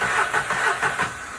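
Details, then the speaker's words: VW Fox with a P0303 misfire, coils already replaced elsewhere, cranking compression test: the cranking beat stumbles with one weak stroke in each cycle of quick even pulses; low compression in one cylinder. "so one peak to peak missing a peak one to mission one two okay so each one of them Peaks is compression"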